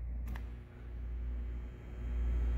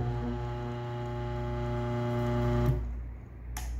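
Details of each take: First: Single-phase washing machine motor on live test power: steady low mains hum, twitches slightly but never spins up. Tested start winding is burned; motor hums and fails to start. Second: New single-phase motor, bench-tested before fitting: starts instantly with a steady even low hum, cuts off cleanly, no grinding or stalling; centrifugal switch working, normal start-up.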